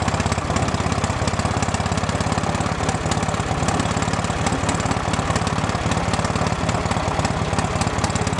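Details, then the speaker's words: 1970s Wisconsin inline two-cylinder generator, abandoned for years, run after restarting from a small battery: uneven, lumpy idle with loose knocking pulses; rough running, carburetor mixture screw needs more adjusting. "Play with the mixture screw on the carburetor a little bit more. That'll help."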